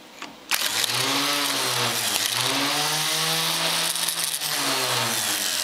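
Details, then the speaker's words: Starter motor bench-tested off a MIG welder at about 12–14 V DC: spins up to a steady, clean whir with no grinding or rattle; runs freely and sounds healthy. "there you go it's fine that's how you can bench test the starter motor easy as that"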